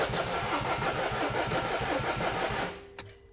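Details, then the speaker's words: Peugeot Berlingo diesel van, first start after replacing the failed timing chain: it chugs unevenly for under three seconds, then cuts out on its own; diesel had run back with pipes off, fault codes still to clear. "No, it just cut out on its own. Yeah, it's timed out, isn't it?"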